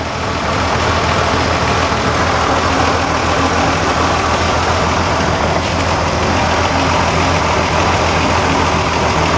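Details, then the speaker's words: Tired old Corvair Monza flat-six idling with oil cap off, mic at the filler: rough, uneven idle with steady puffing blow-by; suspected fouled spark plug, one bad cylinder; worn engine. "it yeah Blow by she's tired she's a tired old girl"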